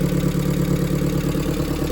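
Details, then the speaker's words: Turbo Hyundai petrol engine idling: light, fast tick over the hum as the lifters are not yet full of oil; engine otherwise fairly quiet, and the ticking is expected to calm down. "You can hear them lifters still ticking some. This car is actually decently quiet. Those lifters will calm down."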